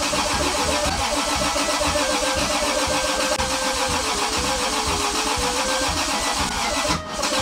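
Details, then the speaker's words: Toyota 2JZ engine, self-wired swap in a car unused for 10 years, first start attempt; starter cranks steadily for several seconds but it never fires or catches, owner fears draining the battery, cause not yet confirmed. "je crois que je suis juste en train de vider la batterie en fait ça sert à rien arrête"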